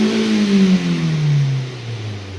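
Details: Car with an engine light after stalling while driving, about 156,000 on the odometer (unclear). A hard rev in park drops off with a ragged stumble; the scanner counted cylinder 3 misfires, traced to a spark plug leaking spark.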